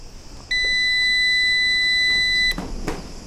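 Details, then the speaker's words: UPS after battery replacement, powered on without mains as if in a power cut. One long steady high beep of about two seconds while the light flashes orange-red; this is normal on-battery behaviour. "Και αρχίζει τώρα και αναβοσβήνει και σφυρίζει κιόλας, διότι δεν έχει παροχή ρεύματος. Είναι σαν να είναι, έχουμε διακοπή ρεύματος."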